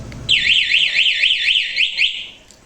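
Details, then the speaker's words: Suzuki Address scooter with an aftermarket anti-theft alarm, ignition key off and alarm armed: a loud, high, warbling siren sweeps up and down for about two seconds; the alarm triggers correctly. "ini alarm buante yang tipe seperti ini mang begitu ya tinggal kita matiin kalau misalkan kita kena begal langsung kita kunci"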